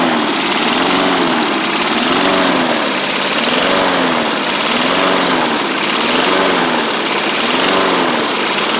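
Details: 1990s MTD Yard Machines push mower, old-style Tecumseh primer engine, first running on its own after revival; loud, speed swings up and down about every second and a half, throttle not yet sorted, surging.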